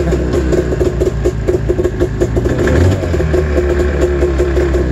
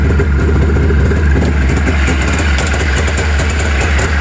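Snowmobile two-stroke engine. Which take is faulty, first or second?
first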